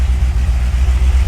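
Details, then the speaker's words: Wrecked C6 Corvette Z06 first start after sitting 2.5 months, problem fixed with new parts: deep, even V8 idle rumble with steady pulses, no knocks or misses; runs normally. "Let's give her a test, bud. Give her a cycle. Just like that. She runs."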